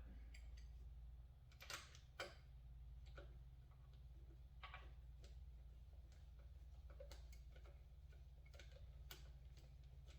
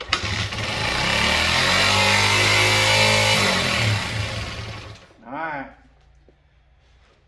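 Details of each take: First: Honda XR80 (or 90) with no-compression and high-rev complaint, sooty spark plug cleaned: sharp irregular snapping ticks over a low hum as the plug fires, confirming spark present. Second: Honda XR80 (or 90) small motorcycle with new throttle cable, revving high on startup; engine revs up high and holds, then slowly sags and dies with no steady low idle — high idle, cause under investigation.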